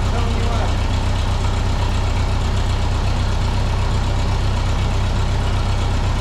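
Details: 1951 Ferguson TO-30 tractor, fuel and ignition on with a little throttle: quick catch into a steady even idle, about four pulses a second, no miss or knock; healthy.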